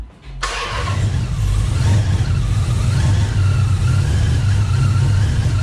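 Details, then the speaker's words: Engine just fitted with a 2.9 Whipple supercharger and SRT Max Plus cam: it fires up and holds a smooth, steady low drone with no squeal or rattle from the front. The earlier noise is believed to have been the belt tensioner. "so as you guys can see now we don't hear any more noises and i believe it was the tensioner"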